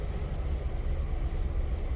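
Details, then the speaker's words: Idle surges and dips unevenly under a steady high hiss during an EVAP test: a major vacuum leak through the purge solenoid. Sealing changes nothing on tank pressure, so a wide-open vent solenoid is suspected. "see now the idle is actually getting wonky because it's got a major vacuum leak because of the purge solenoid"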